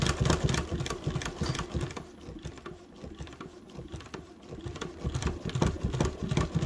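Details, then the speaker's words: Chainstitch embroidery machine: fast irregular needle pecking about three per second with popping thumps as the needle sticks in the nipple and pulls it up; lint clog and hard buildup in the nipple. "hear that noise that means my needle is getting stuck in my nipple and pulling the nipple up with the needle"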